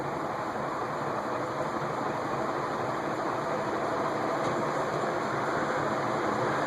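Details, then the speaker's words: Leading Edge A-60 industrial ceiling fan (also sold as Dayton, believed 1985), with replaced capacitor and original downrod: steady, even rush of air at high speed with no knocking, ticking or wobble; healthy running. "that is a lot of air moving"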